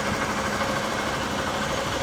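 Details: 2011 Honda Bros 150 motorcycle after shop repair of a customer-reported strange engine noise, test run: steady, even single-cylinder idle with a busy mechanical patter, no knocks or misses. Normal idle.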